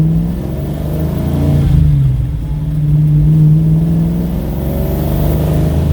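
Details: 1969 Pontiac GTO with freshly rebuilt engine, after fixing an exhaust leak, accelerating: deep, throaty V8 rumble swelling as revs climb, even with no ticking or hissing leak; exhaust sounds sound.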